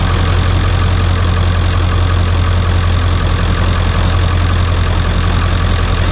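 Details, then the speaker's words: 1995 Ford F-250 7.3 Powerstroke diesel after new glow plug relay fixed no-start: deep steady idle clatter, even beat, no misses; a little smoky at the rear. "sounding good [Music] 7-3 power stroke with a new blow plug relay cheered that no start issue right there"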